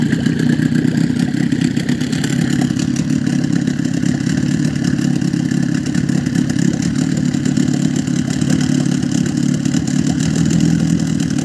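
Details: Boat outboard motor holding a constant speed after cleaning the fuel pump and flipping its reed petals, with the carburetor re-tuned; low even drone, no sneezing or dropouts, normal running.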